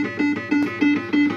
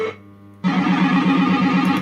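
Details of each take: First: Second System80 machine with identical board and setup, used as comparison with the faulty one: clean, crisp tones repeating evenly with no crackle, hum or distortion; normal sound output. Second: System80 machine with socketed 3-voice sound chip, warmed up: tune plays with rough crackling hiss over every tone, notes muddy and one voice missing; distorted sound output, owner suspects failing sound chip.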